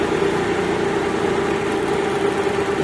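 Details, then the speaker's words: Mitsubishi Galant V6 after reconnecting a loose socket under the air cleaner and fixing wiring continuity to the igniter for cylinders 3 and 6 (codes 21, 53, 41): steady, smooth idle with no skips, misfire fixed. "Yun oh okay na okay na siya umandar na"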